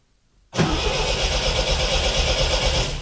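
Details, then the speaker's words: 1974½ MGB GT, air cleaners off, sat for over a year; no fuel pump ticking heard and no fuel, but the starter cranks briskly and evenly for nearly three seconds, so cranking is healthy. "All right, it cranks fine."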